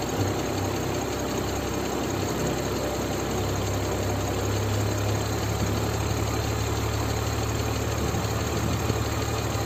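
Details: BMW E46 325i inline-six after running 500 km with 2.5 L oil missing: fast light ticking at idle, about two per second, a hydraulic lifter tick later fixed with a Liqui Moly additive.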